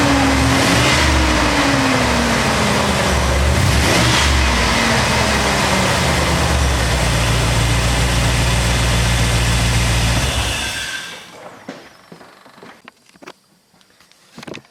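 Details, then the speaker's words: 2002 Chevrolet Silverado 2500HD 6.0 V8 that overheated above 2,000 rpm and under load, just fitted with a new fan clutch: strong V8 rev with loud rushing fan air rising with speed, then shutdown. Normal, with the fan clutch engaging. "well she's moving some air now guys I can hear that suer moving some air so hopefully uh that's going to solve my problem"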